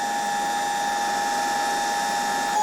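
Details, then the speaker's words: Electrolux V vacuum cleaner, probably 1924, after fitting a donor stator and rotor and new wiring, test-run via autotransformer: steady even motor hum with constant high whir, air blowing from rear exhaust vents, no knocks or scraping; runs normally. "włączę i zobaczcie odkurzacz rusza i nawet czuć jak tutaj dmucha już z tyłu z otworów wylotowych powietrze."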